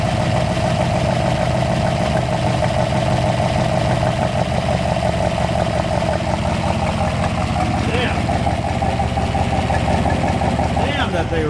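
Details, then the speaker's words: 1964 Ford F250 dump truck V8 after fuel system work: steady even low rumble with no misses, knocks or surging; idles smoothly, though exhaust crossover under intake may be blown. "thing runs good. Holy crap, well done, Mook. That literally runs smoother than some of our new cars."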